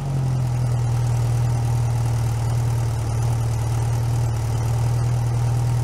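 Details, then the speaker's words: Freshly rebuilt VW Type 1 air-cooled 1641 engine bench-started outside the car, cold with choke partly closed: low steady even idle with smooth rhythm, no knocks or ticks; running healthy. "i'll have it running for a little while so you guys can hear what it sounds like and"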